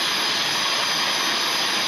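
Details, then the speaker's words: Two-stroke expansion pipe pressurised to above 80 psi with air and heated with propane to remove dents: steady high-pitched hiss as air leaks out while pressure rises with heat; air leak hiss. "it starts to leak. I hear it. I hear a hiss. So it's starting to leak a little. The pressure's obviously going up when it gets hot."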